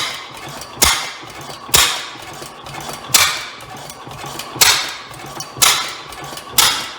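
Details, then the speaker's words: Rare old Bovard & Company single-cylinder engine, first start attempt; slow, unevenly spaced sharp bangs as it fires and backfires, exhaust issue suspected, may also need adjustment. "well we have ignition um may have a little bit of an exhaust issue there did that backfire"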